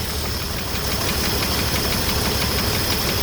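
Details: 1982 Ford F-150 with newly installed one-barrel carburetor, after initial adjustments: lumpy, uneven, shaking idle with irregular thumps about three per second; owner notes a vacuum line needing repair and two unconnected vacuum lines, cause unconfirmed; rough idle.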